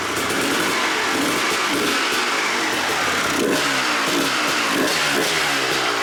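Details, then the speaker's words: 1997 Suzuki RM250 two-stroke, abandoned and not run in years, fuel line just reconnected: repeated short throttle blips rise and drop over a raspy idle, very smoky, only staying running with the choke on. "All right, you guys saw the bike running with a choke on."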